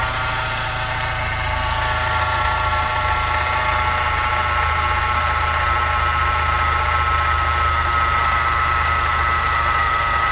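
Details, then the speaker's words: VW Jetta MK5 petrol engine just after start-up idling with a light, fairly regular knock about three times a second that then disappears; cause unknown. "yeah so basically after i start up the car i show the there's a there's a regular sound like something knocking on the engine and then it disappears"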